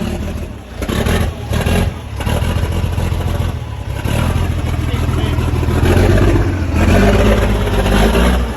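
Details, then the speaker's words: Non-running old Scania airfield refuelling tanker, heavy diesel, revived: it catches with a deep clatter, settles briefly, then revs up and holds; the engine now starts and runs. "so now she runs"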